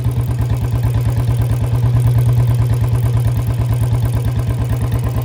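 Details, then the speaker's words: Royal Enfield Bullet 350 in gear, even single-cylinder thump about three beats a second with dry metallic clatter alongside, loudest near chain; unlubricated drive chain noise before lubing. "Check कर लो भाई, चैन की noise check कर लो कितनी noise आ रही है चैन की। यहाँ से ज़्यादा आ रही है, ठीक है।"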